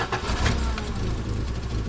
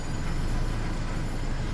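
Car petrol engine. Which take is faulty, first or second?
first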